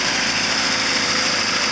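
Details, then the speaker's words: Lada after timing chain replacement, warm after driving: smooth, steady idle with an even hum and no rattle or ticking from the front; new chain no longer makes the previous noise. "now the timing chain don't make that kind of noise but like it's made the previous because now it's new"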